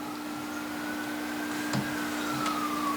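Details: 1931 Philco Model 50 Baby Grand AM radio at switch-on: steady low mains hum with faint wandering whistle and no programme sound; wrong audio output tube fitted (needs a 27/UX227).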